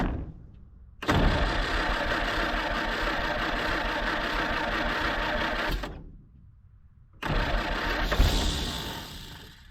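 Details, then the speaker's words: 1946 Jeep Willys CJ-2A after sitting for years, on new plugs and a rigged gas can: cranks, briefly catches into a rough uneven run, dies, tries again; engine catches but will not keep running, cause unconfirmed. "she's trying to run give her some gas all right this stupid thing"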